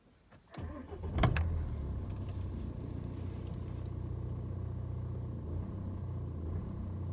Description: After starting the car on a cold start there are fluctuations in the revs for over 2 minutes (rough idle).